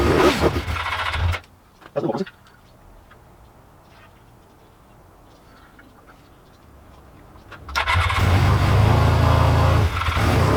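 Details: Old Suzuki GS500 twin, started only by covering the carb intake by hand: it fires after false starts, then idles unevenly and hunts, never holding steady. Poor idle.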